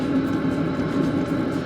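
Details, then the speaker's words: Camper van diesel heater after bleeding the fuel line with a vacuum pump: steady even roar with no sputter or surging; lit, burning and exhausting smoke while priming out remaining air. "well it's definitely working there it's roaring away"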